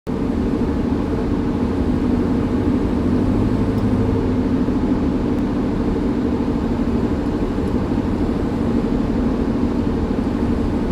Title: Hyundai Tucson bad wheel bearing sound